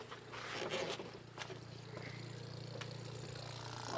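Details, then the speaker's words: Facet red top electric fuel pump on TVR wedge V8, before start-up: low steady hum with no surging or rattling, fuel pressure holding at 4 psi through the regulator as before. "it's humming away quietly the pressure that's interesting pressure's at four which is where it was before"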